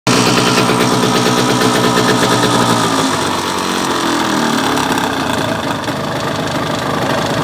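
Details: Yamaha DT125R two-stroke at idle: loud beat with an uneven deep knocking about three a second from the bottom end; owner suspects piston slap, bearing or a bad crank, unconfirmed.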